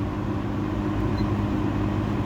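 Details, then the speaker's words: Early-1970s Kmart/Lakewood P-23 20" box fan with metal blades and a McMillan motor, on high at about 2.6 A and almost 200 W: a constant airy rush over a steady low motor hum, no rattles, ticks or wobble; normal running. "And this thing moves a ton of air. Definitely more than the plastic blade models."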